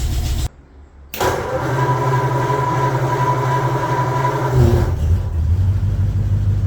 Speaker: Oh, that sounds awesome. Oh, that starts so nice.